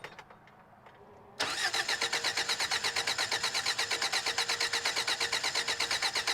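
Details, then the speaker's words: 1993 Toyota Pickup, parked for suspected timing chain or head gasket issue, empty radiator, first crank with temporary battery: even brisk cranking with good compression pulses but no firing; crank no start, fuel starvation. "now I don't think it's necessarily going to start based on cranking over and hearing absolutely no trying to start"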